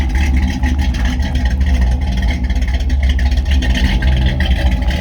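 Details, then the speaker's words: 1957 Bel Air 283 small-block V8 at idle: deep, even burble, steady low rumble, no knocks or misses. A manifold exhaust leak near the distributor was noted. Normal idle. "It's obviously a 283, but boy, it does sound good, man."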